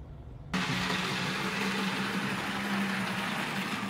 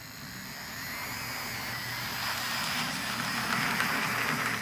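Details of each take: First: Arbour Models kit model locomotive (Brooks 2-6-0 or Sierra 4-6-0) being reliability-tested with a 3D-printed replacement part, run over an hour in both directions without derailment or short. Steady, even motor hum with a faint constant tone, no stutters. Normal running. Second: Assembled Arbour Models kit locomotive running at low speed: motor and gears whir with uneven tick about four times a second, briefly dropping out; binds in the mechanism, due to its design, give poor low-speed control.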